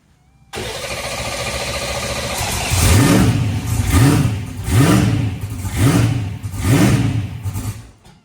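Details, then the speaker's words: Fox body Mustang ProMod race car, first start after rebuild, low or empty fuel, fuel pressure in question: engine surges and sags about once a second, won't hold steady, missing badly; engine misfire at idle. "can't yeah you can't hold it it does sound like it's missing bad right"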